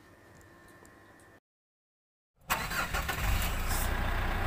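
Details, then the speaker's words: Mitsubishi Pajero diesel during an inspection check: starter cranks briefly after a pause, then the engine catches and settles into a steady, even clatter; normal start and idle. "Inilah karakter suara khas dari mobil Pajero itu sendiri saat kita lakukan starter ya."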